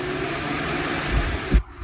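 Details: 2007 Fiat Bravo 1.4 turbo that overheated in traffic (P0480, cooling fan circuit fault), fan tested on second-speed relay: steady rushing whir of the electric fan at full speed, even and smooth until it cuts off; fan working.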